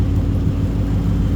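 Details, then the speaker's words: Coyote V8 Ford Mustang track car just rebuilt with forged internals ahead of a supercharger: short steady low drone with an even pulse, no knocks or ticks, idle settled while warming up; sounds healthy. "Track staying is back up and running. She sounds great."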